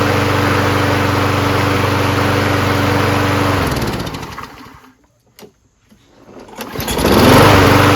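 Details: Craftsman self-propelled mower with 6.5HP Briggs & Stratton Quantum engine, after carb clean, float bowl checked for fuel leak (owner suspects it was flooded from over-priming): runs steady and even, shuts off, restarts cleanly and picks straight back up; healthy.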